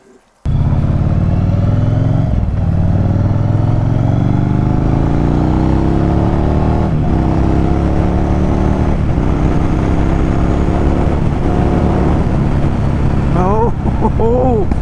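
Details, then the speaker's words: Yamaha Virago 1100 V-twin after rebuilding the carburettors (float valve, fuel level adjustment, emulsion tube O-rings): deep, even rumble that revs up cleanly and settles back with both cylinders firing. Normal running after repair. "oh yes oh yes back to normal the beast is back"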